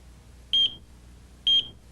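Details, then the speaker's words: AT&T security system 8000 central controller trouble warning: two short high-pitched beeps about a second apart, repeating every 40 seconds, signalling a transmitter failed to check in; silenced by pressing Messages. "if this happens the center controller will again let you know something is wrong with two beeps every 40 seconds"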